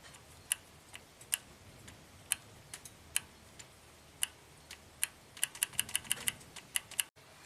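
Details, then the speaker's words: Astra with intermittent P0014/P0016 codes, new dealer OEM VVT oil solenoid click-tested, full of oil: crisp, even, consistent clicks switched on and off, quieter than before; solenoid working fine. "So on, off. It clicks very consistently, not as loud as it did before because now it's full of oil."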